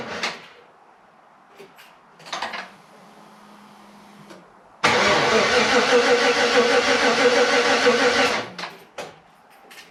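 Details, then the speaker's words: Freshly rebuilt 5.3 V8 in a 260Z, first-start attempt with coolant added and connectors tightened but no oil pressure seen yet: the starter churns for about three seconds at roughly three pulses a second and never catches. Crank, no start; cause unknown. "Okay, we gotta figure out something. Something's not right."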